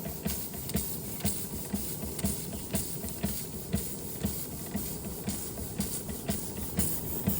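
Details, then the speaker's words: Restored Josef Falk 456/1S model steam engine under steam with water pump working: crisp, even chuffs about two per second with a light hiss; running sweetly. "And you can hear it actually sounds like a steam engine."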